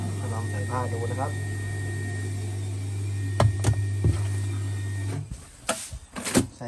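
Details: LG WP-1650ROT automatic washing machine after repair of a spin drum that banged loudly, empty drum spin test: steady low motor hum, even spin, no knocking or banging; normal spin.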